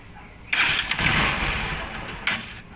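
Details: Honda Supremo motorcycle after replacing worn intake and exhaust rocker arms and the cam, previously noisy like a cricket; catches quickly and settles into an even idle with no chirping or valve clatter: normal start and idle.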